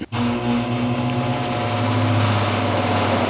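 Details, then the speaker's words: 1300 CFM inline range-hood blower, fan blade deliberately shifted off-center: starts with a rush of air and a heavy steady low hum of serious vibration from the wobbling blade. "but this will cause a serious vibration and I'm going to turn this on and I won't be able to talk but you'll be able to hear the vibration and you can feel"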